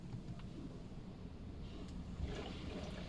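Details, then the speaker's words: 2019 Toyota Camry: soft low gurgling and trickling like waves of water behind the dashboard when AC or blower is switched on; coolant bypass valve is the cause. "Oke kita bisa dengar suara air kayak su suara air ombak gitu Jadi pada saat as dihidupkan untuk pada mobil ini"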